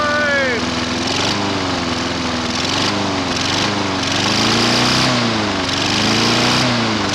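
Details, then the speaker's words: Non-running lawn mower with very weak spark, pulled slowly and started: small single-cylinder engine runs loud and steady with slight rhythmic speed wobble — starts and runs normally. "It's alive!"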